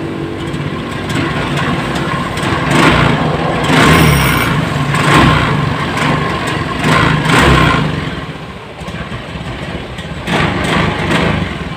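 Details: Honda Scoopy FI scooter with no MIL blinking, bogging and lacking power on throttle; each rev swells briefly then falls flat instead of pulling cleanly; fuel pump pressure normal, injector, spark plug and plug cable still to be checked.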